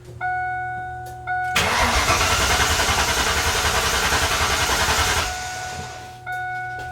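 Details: Mustang cranks evenly for three and a half seconds after warning chimes but never catches, because the fuel pump wiring connector was unplugged during testing and the pump gets no power; crank, no start.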